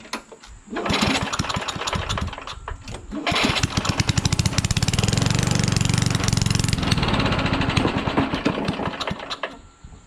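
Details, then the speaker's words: Trash-picked Craftsman/Rally (AYP) push mower, Tecumseh Eager 1 engine, on a hot day: catches and runs briefly with a rough, uneven beat, surges, then fades and stalls; owner says it's not getting enough fuel, also suspects spark. "all right but it doesn't seem to stay started which means that the uh it's not getting enough fuel"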